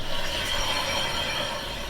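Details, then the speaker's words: 2008 Honda Accord 2-door, left wheel jacked up and turned by hand: scratchy, catching scrape with a faint squeal in uneven steps. A sticking brake caliper is suspected, possibly a bearing; not confirmed. "I'll demonstrate here see we're turning it terms good kind of stair step see see it's sticking you can hear it too"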